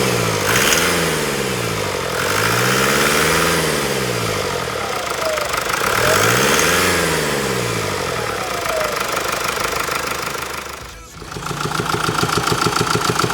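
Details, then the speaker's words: Diesel idling after repair of an engine noise that raised no warning light: even, regular beat of about three pulses a second with no tapping from the top end; the noise is judged gone. "자 소리가 완료됐습니다 소리 한번 들어 보셨어요 제가 볼 땐 소리가 없어졌다고 판단이 됩니다"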